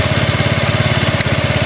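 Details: Small motorcycle (CD 70 or China bike) held in second gear with light brake and gentle throttle: steady cut-cut clicks keeping time with the rear wheel; a faulty chain lock, checked by the play at the sprocket.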